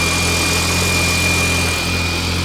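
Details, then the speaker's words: Turbo BMW E30 after an injector replacement, no coolant in it: a steady, even idle with a constant jet-like turbo whistle. It no longer shakes, bounces or smokes; normal idle. "your turbo is crazy sounding sounds like a jet it's running very well though yeah before no it's not shaking and bouncing and smoking"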